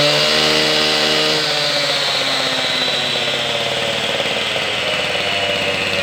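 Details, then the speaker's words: Husqvarna K760 cut-off saw after a top-end rebuild with new piston, rings, pin, cylinder and carburetor, running without cutting: it holds a clean, steady high-rev two-stroke scream, eases slightly and stays crisp, sounding healthy. "All right, I got this saw completely back together. I did start it once, and I think she's running pretty good."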